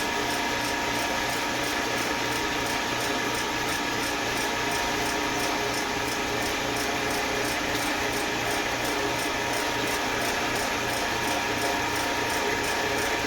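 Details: Eastwood Elite QST 30/60 scroll air compressor after replacing the failed pressure switch, which had never cut out and popped the 30 A breaker: building early pressure toward the 145 psi cutoff, building valve closed, steady hum with fast light ticking; normal running.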